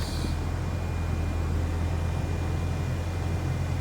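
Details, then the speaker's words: Toyota Celica GT after blower motor replacement, fan at max: steady even rush of air with smooth hum, no rattle or squeal; much quieter than before, blower running healthy. "And all I can hear really is just the air. So it's a lot better than what it previously was."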